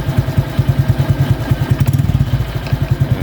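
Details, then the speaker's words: 2023 Honda Wave 125 with a two-piece aftermarket exhaust, after fixing the loose pipe-neck joint with a soda-can shim: small, deep, even single-cylinder thumps at about two and a half pulses a second, with no tinny rattle at idle. "เี่ครับเดินเบาก็จะยังไม่มีเสียง"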